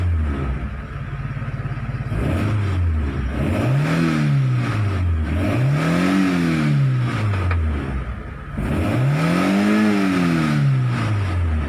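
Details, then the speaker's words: Mitsubishi 4G15 after head gasket repair, fuel tank cleaning and coil conversion, coolant steady: three clean revs up and down, no knocks or misses; compression good, runs smoothly; normal revving. "สรุปก็คือว่าอ่าเพื่อนเดินเรียบปกติกำลังเครื่องนี้ฟิตกำลังอัดลูกสูบอะไรพรุ่งนี้ฟิตหมดนะครับ"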